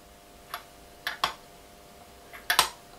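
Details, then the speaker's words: Moped intake pipe rocked on a flat surface plate before resurfacing: light, irregular metallic ticks as the flange moves slightly; the gasket face is not flat, enough to create an air leak, so it must be resurfaced. "voyez, on peut faire ce qu'on veut, ça bouge un tout petit peu. Donc ça peut paraître minime, mais malheureusement, il y en a assez pour créer une prise d'air."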